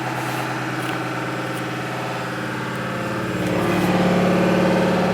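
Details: Washing machine sounding like a diesel engine: heavy, regular knocking about four per second that swells as the spin picks up, vibrating hard; a broken drum bearing, not the shock absorbers, which were replaced first.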